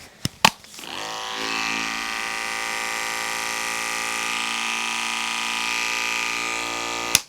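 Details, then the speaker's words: Andis Pulse dog clipper running with a freshly sharpened size 7 blade. A clean, steady high buzz at even pitch with no rattle or drag; it sounds better than before sharpening. "Sounds better than it did."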